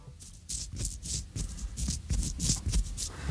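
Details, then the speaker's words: Hand-spun worn mountain bike bearing (reportedly off Steve Jones's bike): rough gritty crunching in uneven bursts, pitted races inside with balls dragging on the shells; bearing worn out, unlike a good bearing's quiet grease-and-seal resistance. "what you're hearing there is, in fact, pitted surfaces on the inside. It's all grinding round, and the actual bearings are basically been dragging on the inside of the shells of that."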